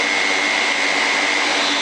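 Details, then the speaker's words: Pixhack 2.8.4 Turnigy HAL quadcopter with 40 A linear ESCs, 360 kV motors, 14-inch props and a 5200 mAh battery, indoors: loud steady motor whine near full throttle without climbing, craft barely lifts and tips; ESC issue suspected. "almost full throttle it barely is even lifting off the ground and it always seems to once I get the stick do about yeah about right there and that's available a little bit over this is when it begins to attempt to take off"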